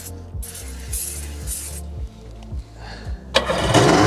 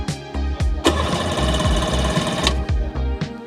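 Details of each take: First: 1996 Sea-Doo HX 717cc, unused since about 2017: starter spins it in steady pulses with a brief sputter, never catches; gummed fuel lines and carburetors suspected. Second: 1996 Sea-Doo HX 717cc, barn-stored for years with stale fuel and about 150 psi per cylinder: even, strong chugging about four strokes a second under background music as it spins over freely on the starter, with good compression.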